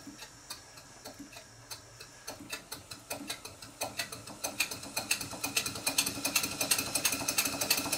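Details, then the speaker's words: Stuart Twin Victoria miniature steam engine, 2014 kit, rebuilt and still running in and a bit stiff, at low speed: light metallic tapping about three times a second from connecting rod fork play on the crosshead and big-end side play on the crank pin. "the slight knock that you can hear is playing the connecting rod Fork on the cross head and also side play in the big end of the connecting rod on the crank pin"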